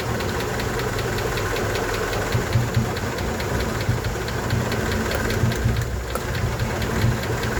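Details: 1988 Honda engine at idle: light, quick ticking rides steadily over a smooth idle, even and unchanging throughout; a top-end tick of unknown origin.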